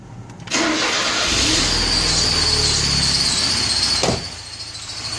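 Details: ZMZ 409 engine after water got in: it catches and settles into idle with a steady, high, thin whistle over it. Belt whistle at idle suspected, not confirmed.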